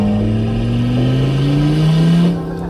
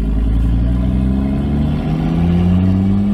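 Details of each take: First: Audi RS3 with a big turbo and welded differential, boost pipe just found unconnected and now hooked up, smoking: a deep rev climbing smoothly with a rising turbo note under load, then easing off. Boost builds properly. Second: Audi RS3 with a big turbo and welded differential on its first drive with the welded differential: it pulls hard with rising turbo whistle, then boost suddenly drops as a charge-pipe hose pops off under acceleration, suspected at the joint between aluminium and original plastic piping.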